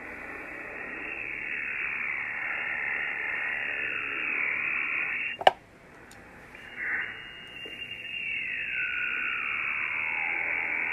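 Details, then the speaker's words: Receiver (FTdx10) swamped by steady rushing hiss with crackle and fixed-interval noise spikes; radio frequency interference from a computer-controlled washing machine's AC variable speed motor drive, which no noise blanker can remove. "so wow it's pretty constant right now i'll turn the volume down let me tell you what that is that is our washing machine it is one of those fancy computer-controlled washing machines"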